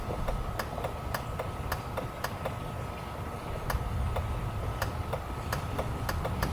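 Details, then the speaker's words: Generator building fire alarm damper wiring: shorting the module contacts with keys triggers the generator's shutdown relay, heard as sharp irregular clicks over a low background rumble; relay working normally. "And something cool with this is if you actually short these together, you will be able to hear the shutdown relay in the generator."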